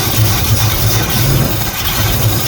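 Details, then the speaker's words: 1974 Pontiac Ventura V8, 83,000 miles, rebuilt Edelbrock carb, not started in 3 years: loud slightly lumpy uneven idle; rough idle, owner suspects rich carburetor loading up. "Take the choke off. Let's see what happens. There's a manual choke here. Push that off. Cuz that carburetor is pretty rich."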